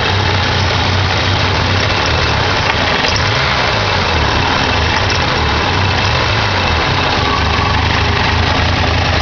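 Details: 1987 Ford Ranger 2.3L, started after sitting for a while: a loud idle whose low throb wavers and stumbles unevenly. Rough idle; owner suspects the carburetor needs rebuilding or tuning.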